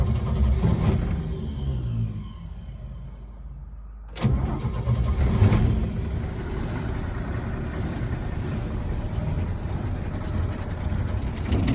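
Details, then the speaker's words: 1966 Chevy C-10 old V8 running off a temporary 1-gallon tank, heard from outside the truck: starts and settles to a lumpy idle with a low, uneven puffing chuff. A small exhaust leak is suspected. "Sounds like we're gonna have a little bit of an exhaust leak."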